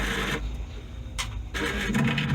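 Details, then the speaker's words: Vaillant ecoTec Pro/Plus boiler being checked for F75 pump fault, at boiler start or reset: low steady motor hum with a few short mechanical rustles as the motorized diverter valve drives over normally, before the pump relay click. "one of the ways to tell if your pump is running is when you turn your boiler on or you press the reset button the boiler will operate the motorized valve which is what you can hear now"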